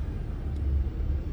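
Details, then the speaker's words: 2009 Ford Escape Hybrid that was starting and stalling, engine kicked on above 1,000 rpm from EV mode while parked; low, smooth, steady rumble, even, free of knocks, ticks or misfires: normal idle. "Now the Now the engine is working. And because we're not doing anything else, we're not driving the car, we're sitting on the parking lot or on the parking lot or in the driveway in this case, um it will turn back to EV mode."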